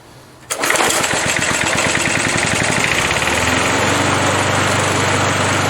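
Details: 37-year-old Montgomery Ward mower, Briggs & Stratton 3.0 hp 92502 Vacu-Jet carb, new choke diaphragm for hard hot starting: hot start at half throttle catches after a pull, settles into a steady, even drone with no misses; fixed.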